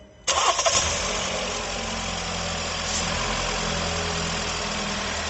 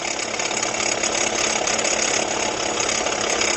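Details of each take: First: 2019 Jeep Renegade with a complaint of engine noise at idle, after new accessory belt, two pulley bearings, alternator and water pump refitted: quick start, smooth steady idle with no whine, squeal or knock. Normal idle. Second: 2019 Jeep Renegade at idle, customer complaint of engine noise: a steady, high, hissy whir louder at the front of the engine.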